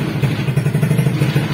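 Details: Suzuki Smash 115 single-cylinder motorcycle that idles fine but won't take throttle: uneven stumbling low putter with dropouts every few beats, won't pick up cleanly; misfiring under throttle.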